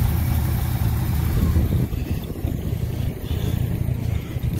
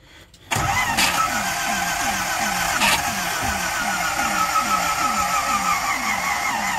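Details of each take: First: 1969 Ford C700 truck, 330ci V8, cold start after nearly nine months sitting, after fixing poor cables: catches with a deep heavy rumble, surges on throttle then eases back, air compressor building pressure: normal cold start. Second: 1969 Ford C700 truck, 330ci V8, cold start after sitting nine months (last ran out of fuel), battery borrowed from another truck: steady cranking that slows and weakens until the battery dies, floats dumped; semi-successful start.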